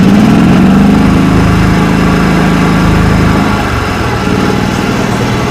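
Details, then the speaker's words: 1989 John Deere 285 mower with a Kawasaki FD590V V-twin, warm, started on full choke. It labors and stumbles unevenly and never settles into a clean idle, a hard start from weak ignition. Fuel was later found on one spark plug and in that cylinder. "So as you can see and hear, she needs some help. The first thing that I did was pull out the spark plugs."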